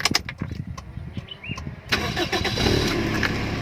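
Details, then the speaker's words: Toyota Soluna engine bay, never in a heavy crash: starter spins briefly, the engine catches cleanly and settles into a steady, even idle; normal, healthy start. "เลองสตาร์ทฟังเสียงเครื่องกันนะครับเครื่องดีมากครับคัน"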